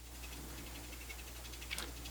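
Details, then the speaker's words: Sharp MD-MS702 MK vintage MiniDisc player powered by a 5 V PSP supply, playing a disc: quiet, fast clicks and ticks chatter over a low hum. Cause is unclear and it is unknown whether this is normal. "The only thing, it produces this like a chattering noise. I'm not sure if that's supposed to be."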